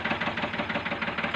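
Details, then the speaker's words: Ford tractor diesel at idle, still running rough after the injector nozzles were checked and refitted, sound unchanged: hard, uneven knocking beat about nine times a second; low fuel delivery from the injection pump, to be corrected by adjusting the pump's delivery screw. "है तो इसको sound अभी भी सही नहीं आ रहा है जैसा कि आप वीडियो में देख सकते हैं साउंड इसका वैसा का वैसा ही है बिल्कुल भी ट्रैक्टर में फर्क नहीं पड़ा है इसका मतलब प्रॉब्लम हो रही है"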